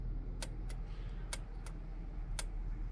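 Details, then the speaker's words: Ford XR2 with a rebuilt Weber 28/32 TLDM carburettor, ignition on, after repairing faulty wiring to the anti-run-on solenoid: sharp light clicks over a quiet hum as the solenoid energizes to control carb vacuum and fuel shutoff; normal operation. "you can hear the solenoids being energized and basically what that solenoid does is controls the vacuum within the carb um which will be able to shut the fuel off"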